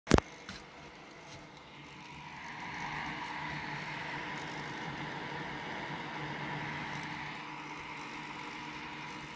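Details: EasyAcc small personal USB fan (KW-MF100): steady whir with a fast, fine, horrible clicking mixed into its airy hum.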